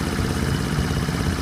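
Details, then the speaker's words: Small horizontal Honda single (C50/70/90 Super Cub type) after valve adjustment, warmed up about 15 minutes: even, quick putter with only a faint tick underneath, sewing-machine sound; normal warm idle. "that's why they call these little sewing machines is because they they just have the tiniest little tick to them I don't know to me it's actually quite therapeutic I can hear the part working but that's not invasive or anything"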